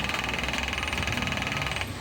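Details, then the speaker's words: Camel stand fan that won't oscillate: rapid even clattering over the fan hum, rotating briefly then stopping abruptly, from a worn oscillation gearbox. "Oh ayan gum anan nag-rate naman siya pero humihinto kaagad yan oh oh ' ba Oh maingay na gumaganon"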